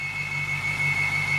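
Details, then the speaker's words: BMW 550i with N62 V8 on lift, idling: steady high-pitched squeal over low rumble, seemingly from underneath; owner first suspected AC compressor or power steering, then a dry-running tensioner or pulley bearing; unconfirmed. "i'm actually thinking it's probably a tensioner or a uh pulley or something over here sounds sounds like something's running dry like a bearing's run"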